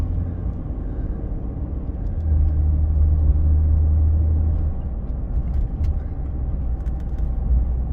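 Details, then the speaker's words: 2013 Ford F150 on a test drive after a driveshaft replacement for years of driveline vibration, accelerating toward 60 mph: a steady, low road rumble with no rhythmic shudder or thumping. The driveline is now smooth. "Okay, good. Smooth."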